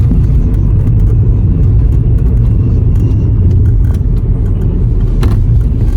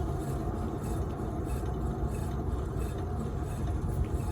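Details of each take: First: 2011 Skoda Superb rear wheel bearing after replacement, road test drive around 20–40 mph: steady low road rumble, no growl or hum rising with speed; bearing noise gone, quiet and healthy. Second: 2011 Skoda Superb (bearing shared with VW/Audi/Seat), rear wheel spun by hand on lift: steady low rumble with rough gritty edge; noise present driving straight; worn rear wheel bearing needing replacement.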